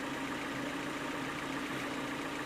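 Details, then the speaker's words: Third-generation Honda Prelude, mostly warmed up, idling low, smooth and even with a steady hum and no rise or fall, after the notorious bouncing or surging idle was diagnosed and fixed; normal idle. "listen how good that sounds it's idling nice and low because the car is already warmed up mostly"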